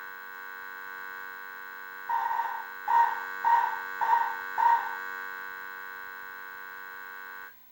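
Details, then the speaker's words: 1978 Bally Midway Sea Wolf II arcade PCB under repair: a steady low buzz runs under the short beeping sound effects and stops only when power drops; constant audio hum, cause not yet found. "I want to know why that buzzing is always there"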